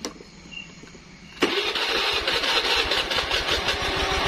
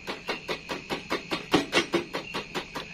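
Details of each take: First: Honda Vario scooter that only clicked on starter despite new battery, after fixing starter relay wiring (red wire to starter, yellow wire): engine catches at once with no clicking and settles into quick, even idle; normal start. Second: Honda Vario scooter with a new battery, ignition on: rapid repeated clicking, about five a second, with no cranking, like a weak battery; starter relay clicking, no crank.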